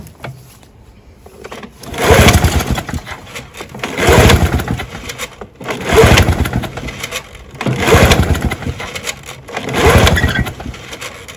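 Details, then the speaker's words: Found-discarded Victa two-stroke Power Stroke lawnmower, fresh 25:1 fuel mix and primed: five pull-cord attempts about two seconds apart, each a brief whirring spin, never fires; cranks but won't start, spark check next. "all right so clearly we've got an issue you know i've put fresh fuel in there i've primed it up but she won't start"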